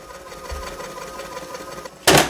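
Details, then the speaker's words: VHS tape rewinder with a faulty lid that doesn't fully close: a rough, whirring motor drone with a pulsing flutter during rewind, which sounds bad for the tape. "good I don't like that sound see that sound it doesn't sound like it's good for the tape either"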